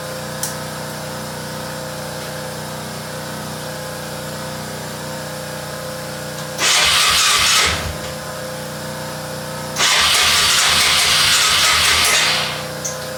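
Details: ATV that sat outside for a few weeks: two bursts of starter churning, each a second or two long, and the engine never catches. Cranks but won't start; carburetor suspected, not confirmed.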